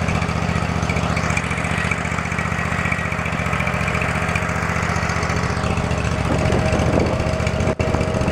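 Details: Field-find riding lawn mower, just revived and tested drawing fuel from its own tank: small single-cylinder engine thumps at an even, quick beat with no stumbles or surging; running cleanly.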